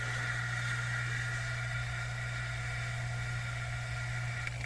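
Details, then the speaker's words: Vacuum pump evacuating the A/C system of a 2007 Chevrolet Suburban after leak repair, pulling slowly through the port valve core left in place; constant low drone with steady higher whine, no pitch change or rattling, normal running. "it's pulling slowly because I have the valve inside of it still. I did not pull it out because I don't have any way to put it back in."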